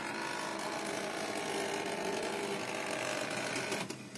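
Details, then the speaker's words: HP LaserJet Pro M132 scanner unit copying with lid open; steady mechanical run with harsh crackling, buzzing noise as the scan bar travels; scanner carriage motor crackling. "посмотрим а точнее послушаем на дефект вот такой неприятный звук неприятный треск жужжания"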